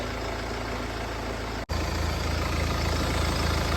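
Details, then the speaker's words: Mercedes E250 after engine repair: steady, even idle with a smooth low hum, the earlier knocking gone and no misfire. "Guys जो इसमें knocking की आवाज थी वो knocking की आवाज भी चली गई है"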